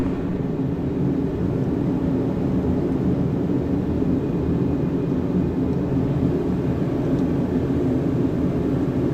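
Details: Diesel heater: even, deep roaring rumble holding steady without surging or popping; burner firing normally.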